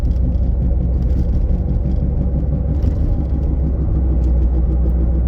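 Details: 2009 Mazda 3 FWD with new CV axle, heard from the passenger compartment around 20 mph: heavy low rumble with rhythmic thumping from a bad wheel bearing, thumping 0-30 mph, howling 30-50 mph.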